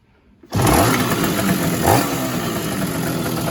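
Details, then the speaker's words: 1966 Bridgestone 175 two-stroke twin, sat 30+ years, charging at 14 volts: fires on the first attempt, revs crisply and settles into a steady, even run on both cylinders; normal start. "here now I'm charging the 14 volts and the thing runs like a champ"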